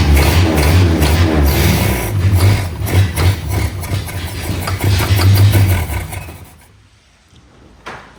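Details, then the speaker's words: 1961 Mercedes-Benz 190 four-cylinder, sat about 35 years with the engine locked and freed by hand, now starting after long cranking; slightly lumpy putter running on its own before cutting out, runs well; fan belt later squeaks and needs tightening. "okay runs well now"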